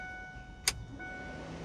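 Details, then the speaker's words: 1999 Ford Lightning with temporary switch and relay wiring for new electric fans, key on; sharp relay click then faint steady hum from the tank as the fuel pumps kick on, normal priming. "This is just kind of a temporary setup, and so that's just the fuel pumps kicking on."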